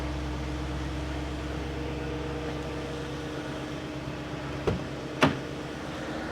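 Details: 2001 BMW 740iL: a smooth, even low idle hum with no misses or knocks, apart from two handling clicks. No more gray smoke from the exhaust; normal idle.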